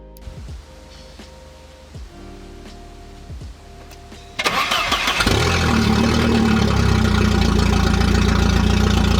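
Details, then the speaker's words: 1988 Volvo 740 GL cranks and catches into a loud, raw, tractor-like roar because about a quarter of the exhaust, including the catalytic converter section, is missing between the front and the muffler; exhaust leak. "my exhaust doesn't make it from the front of the car to the muffler due to it essentially missing a quarter of the parts underneath, which makes it sound closer to a tractor than a sedan, which sounds pretty sick."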